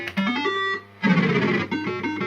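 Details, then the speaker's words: Second System80 machine with identical board and setup, used as comparison with the faulty one: clean, crisp jingle notes with no buzz, crackle or distortion; normal sound output. "So that's how it should sound. Nice and crisp. So that's perfect."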